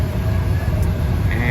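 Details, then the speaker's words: Lennox rooftop HVAC unit after blower motor replacement, belt on, drawing 6.4 to 6.9 amps against a 7.5 amp rating and spinning the correct direction: smooth, steady low fan rumble with no scraping, rattling or bearing growl; normal blower motor running. "all right so this motor is running it's spinning the correct"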